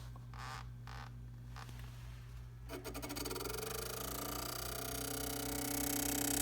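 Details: Tacx Neo Smart bike trainer ticks steadily about four times a second over its electric hum and rising whine: clicking during use.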